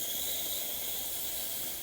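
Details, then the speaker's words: Breville Barista Express steam wand after full service/tune-up, thermoblock warmed first (initial water then steam), pump kicks on; strong, even, high hiss with no sputter, normal dry steam. "and lastly just a seam one so we're going to let this warm up first few seconds is always water until the thermal block rapidly Heats itself up and now it's going to start"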